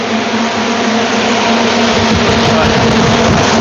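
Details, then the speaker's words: iDRY AIRFire firewood kiln, single-phase, circulation fan started forward and ramping to full speed, vents opening, no gas to heater, firewood mode; loud steady even roar of air, no knocking or rubbing. Normal full-speed fan. "The fan is going forward. You can already hear it ramping up. The vents are opening. If we had gas to our heater, it would be heating. And now it's going to be really loud."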